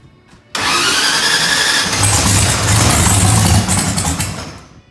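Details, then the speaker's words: Randy's Procharged Mustang (about 2000 hp), first start attempt since a crash, with the data logger running: the starter cranks evenly at about four beats a second for roughly four seconds while building fuel pressure, but the engine never fires. "It's building fuel pressure."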